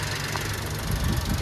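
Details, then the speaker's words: Newly delivered 4x4 unit idling: steady low, evenly paced thrum with no whine or tapping; engine described as very quiet, though said to need PMS to run smoother. "Yan guys, umaandar itong unit. Pero ang hindi siya maandar ba? Napaka ano, tahimik. Tahimik na kanyang makina."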